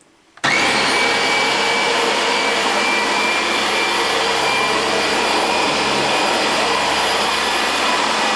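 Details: Dyson DC25 All Floors upright vacuum, bought June 2013, first run after unboxing, pushed back and forth: steady, even high whirring roar without surging, rattles or squeals; motor running normally.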